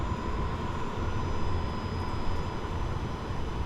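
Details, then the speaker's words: Compact VEVOR 12V diesel heater with Bluetooth, shutdown cycle. A steady low fan rush and faint whir as the blower keeps turning to cool the unit, with a little heat still coming out; a normal cool-down. "Slow down like a jet. You can still hear the fan barely turning in there and stuff."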